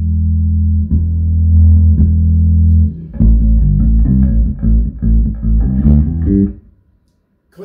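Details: Hartke 3500 bass amp under test for distortion, compressor and EQ off, volume turned up: clear, clean bass notes with no fuzz, crackle or rattle; the speaker is not the cause.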